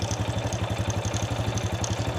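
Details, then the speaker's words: Honda Wave 100 at idle after valve clearance was tightened, valve rocker tick now gone: quick even clatter of about ten ticks a second over steady idle — timing chain noise remaining, customer wanted chain replaced but mechanic advised against. "แต่ตัวนี้คือเสียงโซ่ราวลิ้นนะครับนี่ที่เพื่อนๆได้ยินนี่แหละครับเสียงโซ่ราวลิ้น"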